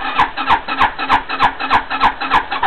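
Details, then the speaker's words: 260cc scooter with new carburetor, possibly needing rejetting, cold start: steady cranking pulses about three per second with no catch or pickup; turns over but won't fire. "a lot of people have this problem even when the bike is running good which is not starting up cold start or whatever they call it"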